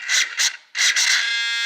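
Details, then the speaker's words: Losi DBXL 1/5-scale RC truck with a Zenoah 32cc engine, unused for two years: the waterproof Savox servo throws short, high whirring bursts by itself, then holds a steady buzz. It glitches with any slight control input from an internal short. "Now if I go nice and slow, not bad. But any kind of movement or slip of the trigger finger or steering finger causes it to glitch."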